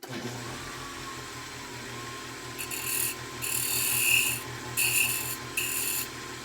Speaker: it's squealing uh that's what would have happened that's basically this this part of the bowl is is vibrating because it's real thin